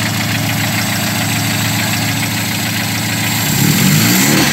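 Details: VW Gol G1 with AP engine and Weber TLDF carburetor, first cold start of the morning after checks that found low fuel pressure and worn spark plug wires; even, steady idle pulse with slight lift, settling smoothly and running clean.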